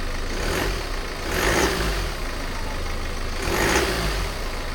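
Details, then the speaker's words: BMW F10 518d B47 diesel after turbo replacement: steady idle with two clean revs, no whistle, knock or hiss; no more boost leak or oil leaks, engine runs solid. "So yeah, there's no more boost leak, no oil leaks, nothing. And yeah, the engine runs solid now."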